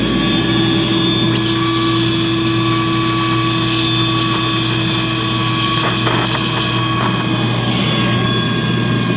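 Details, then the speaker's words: Battery wet vacuum clearing an HVAC condensate drain line, battery almost dead: steady high-pitched motor roar with faint uneven wavering over a low hum; owner suspects the motor has about had it. "I've got a almost dead battery here, and sounds like the motor in this thing has about had it."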